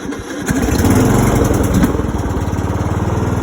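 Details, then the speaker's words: John Deere riding mower started with full choke: the starter drags the engine over sluggishly before it fires into an uneven putter. Slow cranking because the battery is nearly dead and undercharged. "And you can see it does crank over kind of slow, like that. It's because the battery is not fully charged"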